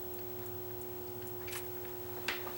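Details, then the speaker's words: Mitsubishi LT-37131 TV after replacing two SMD capacitors (C7G71, C9C60) on main PCB to cure blinking blue light; only faint steady mains hum and small ticks, former power-supply whine gone, set boots with display: normal operation. "and the power supply is not making that whining sound anymore and the set has booted up and we've got power we've got a display on the screen"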